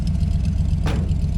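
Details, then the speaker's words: 1953 Ford truck, first run since 1994 on junkyard parts with new side-pipe exhaust: deep, steady V8 burble at idle, mellow rumble, even pulses, no knocks or exhaust leaks; healthy idle. "That's a good sounding exhaust right there. But overall, that's awesome. We'll let it sit here and idle."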